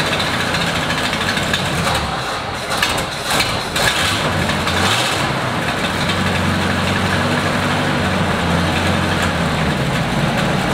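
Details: 1937 Buick limo, restored in 1980s and stored, first start in 25+ years, 6-volt battery, started with starting fluid; fuel supply from tank uncertain. Loose uneven idle with irregular chuff and some rattle.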